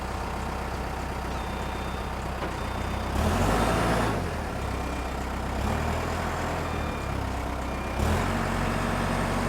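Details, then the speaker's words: Pettibone 10056 telehandler, parking brake released: diesel sags and labours as first, second and third gears forward engage, feeling like the brake is on; transmission binding internally from a broken shaft. "And there again, third gear is stopped again, feeling like the brake came on. And even in first gear, we have that binding"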